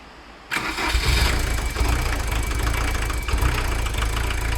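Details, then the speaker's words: VW camper diesel with leaking injectors, fitted and stuck in place by a previous owner: starts at once and settles into a heavy, lumpy, uneven idle that misses, though better than before. Rough idle; cause suspected, not confirmed. "Okay. Believe it or not, this is actually a lot better than it was before."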